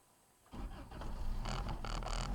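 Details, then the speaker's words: Toyota 22R with Weber 32/36 carb, 7,000 miles on rebuilt engine, started after sitting overnight at about 10 degrees, gas pedal pumped first; quiet, then starter catches within two seconds into an uneven high idle; hard cold start. "it's about 10 degrees outside. Truck's been sitting all night, and this is how she starts."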